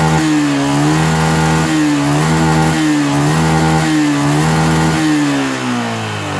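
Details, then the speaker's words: 2011 Yamaha Jupiter MX, carbureted, losing power when climbing hills: revs rise and fall about once a second with a ragged, stumbling note; ignition breaking up from a weak stator coil. "Nggak nggak kuat teman-teman gak kuat nanjak tapi kalau saya turun pada saat bunyi lagi bunyi kita jas ya nanjak teman-teman jadi hilang tenaga gitu"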